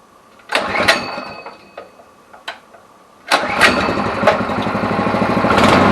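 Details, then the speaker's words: Neglected go-kart small engine after new carburettor and oil change: a few pull-start tries, then catches into fast steady putter that keeps running; normal start and idle. "được rồi, dù sao thì cô ấy cũng đang chạy tốt hơn ừm, tinh chỉnh một chút nhưng cô ấy sẽ ổn thôi."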